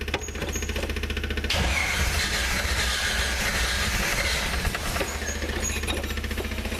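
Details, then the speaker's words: Jeep that hasn't run in a long time, in neutral, fuel pump primed and pedal pumped: rough, uneven cranking with irregular sputtering pops that never catch into an idle; it then began pouring gasoline, though the fuel lines weren't leaking. "Yeah, this thing hasn't ran in a long time. She doesn't want to go."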